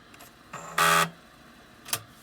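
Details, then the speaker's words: MicroMate PMC-101 floppy drive on power-up/door close: faint ticks of the head stepping, then loud buzzing burst as the head hits its end stop repeatedly instead of finding track zero; owner suspects failed track-zero sensor. "you hear the head step and i see the head stepping out the track zero but it hits the stop and try several more times to step which says to me the track zero sensor probably is not working in the drive"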